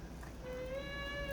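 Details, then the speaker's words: Gate closing: thin, steady high squeal rising and holding about a second from a dry hinge bearing, cured by spraying lubricant into the bearing. "现在每次关门的时候都会出现这种吱吱的这种响声。"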